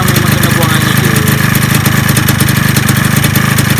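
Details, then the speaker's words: Yamaha 125Z two-stroke at a quick, steady idle putter with no knocking, top cover temporarily fitted and head cover left off; the cover makes it a little quieter; normal idle. "Kepala pelak tak pasang dah. Bunyi dia senyap sikit kan."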